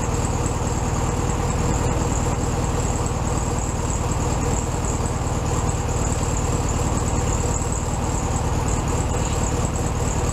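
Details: 1967 VW Beetle 1500cc air-cooled flat-four, warmed up after carb reinstalled on new base gasket: steady, even putter with unbroken rhythm at a slightly high idle, no misses or knocks; normal idle.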